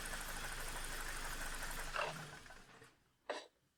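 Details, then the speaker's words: BMW E46 3 Series, N42/N46 engine, engine bay with air duct removed, reduced power, higher fuel use, VANOS/camshaft codes: rough rattling and clicking as revs wind down after acceleration; jumped timing chain, broken chain guide rail. "okay so uh as you could hopefully hear there is definitely some weird noises coming from the engine it does sound like there's an issue with the chain or maybe the vanos control units"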